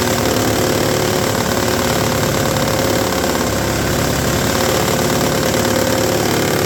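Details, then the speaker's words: Toro S-200 two-stroke snowblower, roadside find after rehab, first test running on electric start: steady small-engine buzz with an uneven slapping rattle as the auger drum slaps the scraper; a 2x4 wedged between drum and scraper when stored helps reshape it. "there was someone kind enough to comment in the uh well the comments section that they take a 2x4 and wedge it between the drum and the scraper there when they're not using it helps kind of Reform it back into a shape where it doesn't slap and make obnoxious noises"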